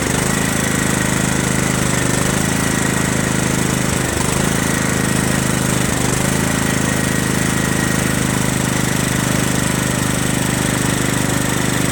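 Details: Craftsman LT1000 lawn tractor, Kohler Command CV460S single-cylinder engine, just reassembled with replacement top-end parts: steady single-cylinder drone holding even speed, no misses or knocks; runs great, normal running.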